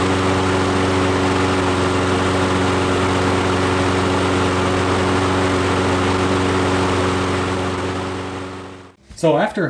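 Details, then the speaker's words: Nearly new Toro mower that wouldn't start, after fuel system work: steady, even single-cylinder drone with no surging or sputtering; fixed, runs cleanly. "it run for a bit i'm determined that we fixed the issue"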